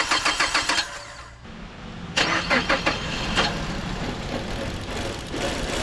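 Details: 2011 Mazda CX-7 after used engine install, coolant just refilled: brief crank that doesn't catch, a pause, then a second crank fires and settles into an even idle; starts and runs fine.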